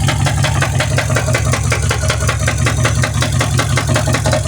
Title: mercedes benz s550 w221 4 matic what is that noise?